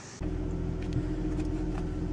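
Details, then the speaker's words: 2004 Jaguar S-Type petrol V6 started after injector electrical, compression and leak checks: settles into a low, uneven stumbling idle; misfire persists, previously coded for cylinder 3. "all that work and we still got a misfire you can definitely hear it so what is going on"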